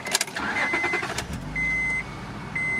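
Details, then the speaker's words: Used Honda with 197,285 miles, no engine lights, needing a front A-arm bushing: quick crank catches cleanly and settles into a steady, even idle under a repeating chime; normal start and idle, runs really well. "The inside kind of got me. I liked it. It runs really well."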